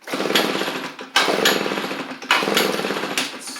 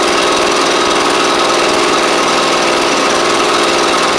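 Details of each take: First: Echo PB755ST backpack blower before carburetor kit, runs on choke but quits off choke or on throttle, likely bad carb diaphragm; catches in short bursts about once a second, fades and won't hold speed; faulty carburetor. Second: Echo PB755ST backpack blower after replacing the carburetor, suspected bad diaphragm, which had made it quit off choke and on throttle: a loud, steady high two-stroke buzz with constant fan roar and no surging. It now runs properly.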